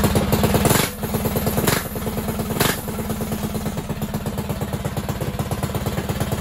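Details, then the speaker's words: Predator 224cc single-cylinder Max Performance build (flat-top piston, GX200 billet rod) on an RT200 minibike, running about E50 (E85/93 mix): starts first pull, throttle blips then steady even idle thump, no knocks or misfires. "we're running like e50 but still like the motor turns right on no problem"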